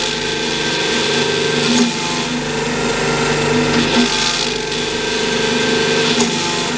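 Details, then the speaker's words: Blohm surface grinder hydraulic unit: constant pump hum with rough buzzing vibration and slow surge every couple of seconds; abnormal vibration, owner suspects a missing valve between tee and pump per schematic. "the vibration that we're getting though right there hopefully you can hear that"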